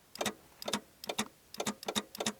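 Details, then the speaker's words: 1982 Plymouth TC3 (Horizon), sitting 32 years, first start attempt after jumping starter wiring: sharp doubled clicks about twice a second, no cranking; starter clicking but not engaging, owner suspects only the Bendix moving. "but I think that's just the Bendix I don't think it's actually engaging the starter fully"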